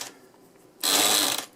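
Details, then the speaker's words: A&K M60 airsoft magazine winder driven by an added push-button pressure switch on a 3.5mm jack: brief high-pitched whirring burst, about half a second, starting and stopping cleanly; normal winding motor. "so that goes in there and then as long as it's whine up to the gun just like you would normally no need for a second battery every time you press the button it whines"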